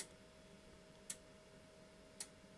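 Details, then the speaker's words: Fluke 8588A multimeter in four-wire true ohms mode with sharp single clicks about every 1.1 seconds over a faint hum; normal relay switching that reverses source current polarity. "but then there is a four-wire true mode now in four-wire true you're going to hear the meter start clicking"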